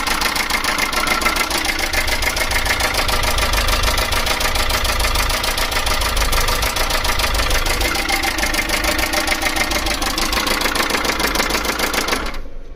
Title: Chinese Mini truck engine rattling sound. Any ideas??